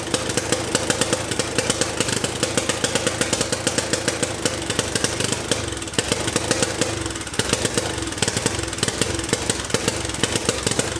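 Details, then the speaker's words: Turbocharged 660 lawn mower on first test run: fast, ragged single-cylinder firing with uneven beats and stumbles, near stalling; it shut down unexpectedly, then smoked with oil leaking from somewhere. "what happened hahaha hey why did i shut down"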